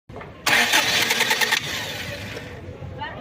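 Rapid cranking bursts for about a second before the engine catches and runs unevenly; a slow, hard start, cause not yet known.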